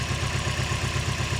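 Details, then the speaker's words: Project car at idle, out of gear: rough lumpy idle with regular stumble; misfire with no change when number four is pulled, coil swap didn't move it, dead cylinder, compression test next. "see it's running really rough and then if we pull number four"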